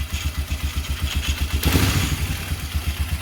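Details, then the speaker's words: Polaris Sportsman 500 ATV after replacing a faulty new CDI box: steady low thump about four beats a second, even with no knocking; clean, healthy idle. "this sister and idols is as beautiful as can be"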